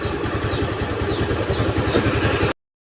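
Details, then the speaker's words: Honda Beat FI scooter, rough starting, left overnight after stalling and restarting; at idle it runs with uneven, lumpy low pulses, intermittently stumbling and stalling; rough idle with intermittent stumbling, DLC to be checked for stored history. "Ini motor dititipin semalam, kata orangnya mogok, berbet mati, terus tidak lama hidup lagi, tapi hidupnya berbet. Ini coba kita hidupkan. Dia hidup ya teman-teman, tapi dia kadang-kadang berbet, kadang-kadang mogok."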